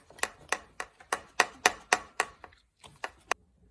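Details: Canyon Aeroad carbon road bike, Di2 battery: shaking the bike gives sharp hollow clacks about four a second, first thought to be a cable inside the frame; actually a loose battery holder moving in the frame, fixed by replacing its screw.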